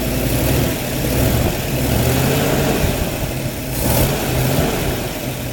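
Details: Faint puffing tick at firing rhythm over a steady low idle rumble, quickening on revs; suspected exhaust gas leak at the flange/seal where the manifold meets the pipe, not confirmed.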